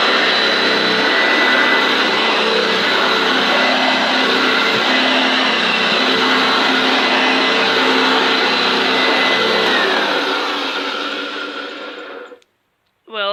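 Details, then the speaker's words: Hoover Junior upright vacuum run on the floor: a steady high motor whine with a coarse, uneven rumble from the brush roll, then switched off, and the cause is suspected to be the highest height setting or worn brush strips. "a bit rough. It's either on the highest height adjustment setting, or it needs new brush strips."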